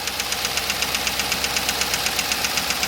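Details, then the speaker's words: Cammed Chevrolet Suburban V8 with DOD: a sharp, even metallic tick at idle from a collapsed DOD lifter on one bank, causing a misfire and shaking that worsens in drive. "And you guys can't feel it, but the truck's shaking right now because it's causing that misfire. And you can hear it worse right now that I put it in drive."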